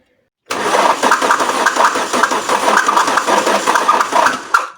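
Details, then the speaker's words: Alfa Romeo 164 2.0 V6 turbo cranking steadily without starting; no ground signal reaching the fuel pump relay to close it, suspected wiring fault rather than fuse. "here you go no signal to close the relay now the problem may be on the wire itself"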